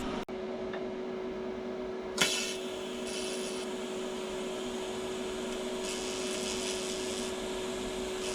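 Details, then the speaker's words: TIG welder powered by an EcoFlow Delta 2 battery, DC welding at 60 amps; steady arc hiss with a mid-pitched buzz that appears above about 60 amps, believed to be the battery pulsing under excess draw, not confirmed. "I think any more high, you can hear a buzz. It must, once it's drawing too much power, it probably gives a pulse or something. That's what the buzz is."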